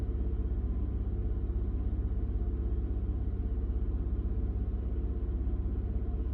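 Low, lumpy idle with a pulse about twice a second that never settles into an even beat; rough idle, cause unconfirmed.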